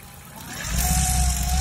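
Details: Car engine under throttle with an annoying rough rattle and shaking that rise as it picks up, plus a thin whine climbing alongside, when pressing the gas pedal; the cause is unclear.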